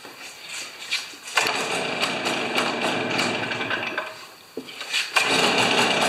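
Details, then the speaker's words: Stihl BR430 backpack leaf blower, neglected three years, plug cleaned: revs surge and stumble, rising and sagging unevenly instead of holding a steady roar; acting like a plugged muffler, later found plugged when removed. "it's acting like a plugged muffler"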